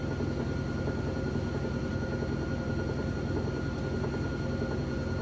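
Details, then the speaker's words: GE top-load washer, very heavy load of jeans and towels, final spin at full speed: steady high-speed hum with constant whine, no thumping or wobble, clothes come out spun dry; normal spin cycle. "sounds real good real smooth is a very heavy load give it just another minute here"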